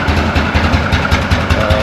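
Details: 2004 Yamaha Grizzly 660 single-cylinder ATV, after no-spark fault repaired and fresh oil change, running to circulate oil: steady quick even thump, no misses or knocks; normal idle.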